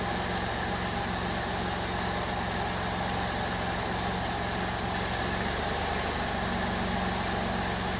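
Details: 2002 Jeep Liberty 3.7 engine just swapped in, first run after intake got wet from pressure washing: even, steady idle hum with a constant low pulse, no misses or knocks; running smoothly, though smoky and check engine light on.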